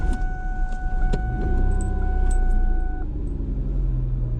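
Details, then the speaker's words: Vehicle stalled by the roadside, no check engine light, given a starting spray shot: cranks briefly, catches and settles into a rough idle; restarts after stall, cause unknown. "well it actually started so i'm not sure what to do about that now since there's no check engine light or anything"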